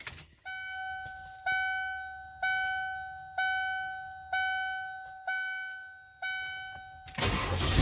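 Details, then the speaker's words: 1993 IDI diesel truck after turning up the injection pump fuel about 3 flats: chimes, then catches almost instantly on cranking, where before it needed 3-4 seconds even warm; quick start after the mod. "That's amazing shit. I could never do that. Not even with a warm engine, it would not do that. I would have to let it crank for probably 3-4 seconds."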